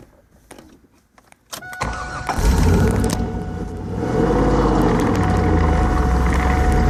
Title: Ls1 t56 grinding noise